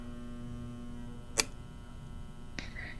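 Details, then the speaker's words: Williams Planets pinball machine in a quiet room: a steady electrical buzz, interrupted by two sharp clicks, from a relay thought to be stuck energized on the bottom board, believed to be the change relay. "Yeah, we can hear it buzzing. Oh, what is that? Okay, so I think there's a relay on the bottom board that is stuck on."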